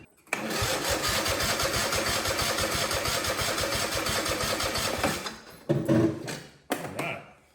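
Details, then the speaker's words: Husqvarna riding mower, believed a 2554 (barn find), spark plugs refitted and battery partly charged: labored slow chug-chug of the starter turning the engine over for several seconds without catching; battery still weak, but spark confirmed. "Battery's still a little dead, but at least we know we got spark."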